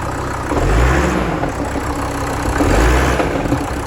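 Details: VW Crafter 2.5 diesel van at idle: clunking about every two seconds at start-up and again at shutdown. It goes away with the clutch pedal pressed and revved. Believed to be the clutch or dual mass flywheel, unconfirmed.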